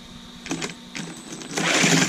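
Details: GoolRC 3500KV brushless motor and 60A ESC in a Deerc 9200e 1:12 RC car, after the calibration and beeping trouble, with settings set to center: short whirring bursts, then a rising high-pitched buzz as throttle comes up; normal forward run.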